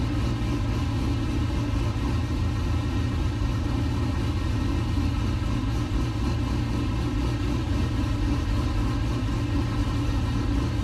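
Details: 1969 C50 farm truck LS-swapped V8 (Frank) idling after a power steering rebuild and bleed, still leaking slightly: steady, even low rumble with no misses, knocks or ticks; settles into a smooth, healthy idle.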